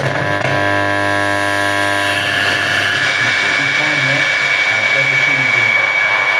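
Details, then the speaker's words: Abandoned Blaupunkt car radio from a Mk3 Ford Cortina, powered up with a hand-held antenna: loud steady hiss and hum from the speaker. The volume control is stuck at full. "That's too loud. It's stuck in full on position and it's going to..."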